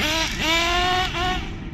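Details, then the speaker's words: Nitro RC car engine after resetting needles, high-speed screw untouched, tuning the low-end screw: sluggish, burbling pickup off the bottom with loads of smoke when first triggered before clearing; still very rich on the low end. "Still rich. Loads of smoke at that low end lot when you first trigger it. Very rich on the low end"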